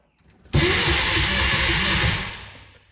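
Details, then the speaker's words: 1962 Berry Mini T kit car, VW engine, stored since 2018: starter churns about two seconds in steady rhythmic chug, never catches; crank no start. "well it cranks let's get you guys to the back and we'll see if this thing fires"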